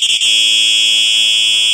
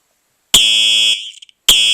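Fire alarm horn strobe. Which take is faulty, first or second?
second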